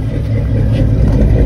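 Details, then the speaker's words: 1958 Chevy Impala with a 348 V8, revived after years of sitting, timing retarded from way advanced and dwell not yet adjusted, heard from the rear: deep, even burble that swells smoothly when revved, with no misses or knocks; running well. "But listen to this thing. It's running beautiful."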